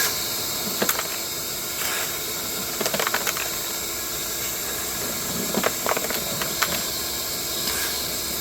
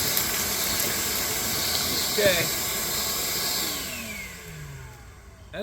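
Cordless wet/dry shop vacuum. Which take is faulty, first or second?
first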